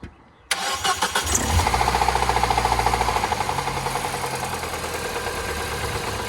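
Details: Peugeot RCZ that a garage said needed a new engine for rattling big ends: engine catches and settles into a quick, regular rattle of three or four knocks a second at idle, later traced to the water pump drive rather than the big ends.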